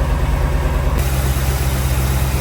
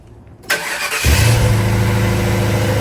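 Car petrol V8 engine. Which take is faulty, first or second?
second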